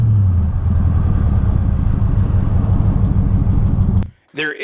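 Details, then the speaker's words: 2006 Crown Victoria Police Interceptor (P71) with a failing transmission in limp mode, wrench light on, and won't pass 30 mph (description says 40). Under throttle the engine drones low and uneven with an irregular stumbling sputter, then cuts off, never upshifting. Starting in second avoids the 3rd-gear shift. "Notice as I start to drive that the car won't go past 30 miles per hour. And if you try to get on the gas, the car will sputter and throw a wrench light, and well, here, just look for yourself."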